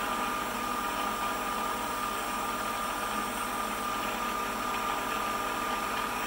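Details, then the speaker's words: Precision Matthews PM-728V-T mill spindle at wide-open max speed (4375 rpm): steady, smooth high-pitched hum, no rumble, knocking or grinding; hand on machine feels little vibration, well balanced; normal spindle running. "here we go that's it that's wide open that is max max speed it's pretty quiet in the vibration I put my handle on it I don't feel much it's well balanced"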